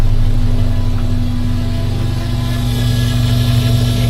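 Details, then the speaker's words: 1982 VW Westfalia petrol engine, rough lumpy idle with steady low hum; owner suspects the fuel pump is making the humming and may replace it. "That fuel pump's making noise up there. I might have to change fuel pumps. That's what all that humming is."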